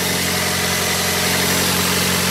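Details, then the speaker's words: 2004 Pontiac Vibe, four-cylinder, automatic, idling after a January cold start: steady idle with a raspy, slightly hissy edge from a known exhaust leak; the car otherwise runs perfectly. "This car doesn't give any problems at all. It's got an exhaust leak on it. It's not bad."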